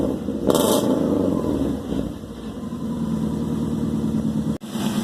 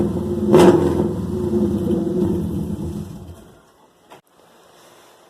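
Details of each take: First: Subaru Forester daily driver after junkyard-style homemade exhaust rebuild, first start: cranks, catches and settles into a steady even idle with no ticking or puffing; no exhaust leaks heard, only tiny holes found. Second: Subaru Forester daily driver with a broken exhaust, started with no muffler (open header, only the catalytic converter), before the exhaust rebuild: harsh, raspy, very loud bark that swells with a quick rev and falls away.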